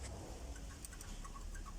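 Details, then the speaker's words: Mercedes W210, right side: worn right sway bar (stabilizer) link knocked with a pry bar, dull clunk over low rumble and faint ticks, the same knock heard constantly in the cabin; bushings and left link were new. "тоже устал от тебе стук то есть она уже изношены вот хорошо видно как болтается и вот стук лишь те вот этот стук который у меня постоянно в салоне"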